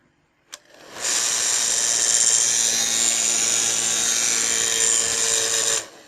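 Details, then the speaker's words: Blow dryer that heats normally, switched on: hard hissing rush with a rough fluttering scrape throughout, the strange noise it makes in use; a cracked fan blade is catching the housing. "that strange sound coming from the inside so it is actually eaten it eats up bottom is just that strange sound that it's making"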